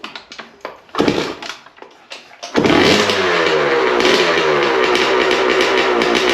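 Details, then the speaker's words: Honda CR250 two-stroke dirt bike after years sitting: won't start on kicks, has spark, fires only on carburetor starting spray then buzzes into a ringing run; fuel starvation suspected. "Yeah. Yep. She didn't start. So now we're just going to check to see if there's spark."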